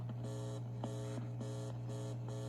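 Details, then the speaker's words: 1960s Westinghouse record player: steady low mains hum with rhythmic mechanical chatter and no music; amplifier works but the old crystal cartridge has gone bad (crystal cartridges rot internally). "so the amp is amping the pickup's just not picking up wouldn't you know it"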